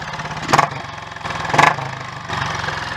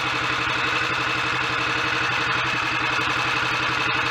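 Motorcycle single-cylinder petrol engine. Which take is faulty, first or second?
first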